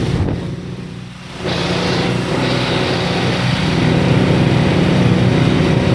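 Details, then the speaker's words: Small bike engine with a large muffler: fires and settles into a fast, steady buzz that never drops to a lazy idle; idle speed set too high, to be tuned down at the adjustment screw. "I guess it's still a little high. I'm gonna have to tune it down, tune it a little bit. Just a tad bit. Still revving a little high."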